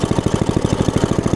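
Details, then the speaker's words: Log splitter small single-cylinder engine, running and smoking on choke: fast even thumping at one fixed speed, throttle has no effect, dies if choke removed; throttle cable left unhooked. "well we're running and smoking but if I try to take the choke back off it will die and the throttle seem to have no effect"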